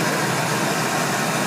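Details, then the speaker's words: Ford 4.6L/5.4L engine after replacing accessory drive pulleys to cure a whine often misdiagnosed as the power steering pump: smooth steady hum with no whine or chirp; quiet, healthy after repair. "nice and quiet all back together all"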